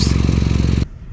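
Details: Older Toyota Camry failing its safety inspection for exhaust leak noise; loud, deep tractor-like chuffing putter while running, from an exhaust pipe rusted through underneath and leaking; fixed with sealing compound rather than welding.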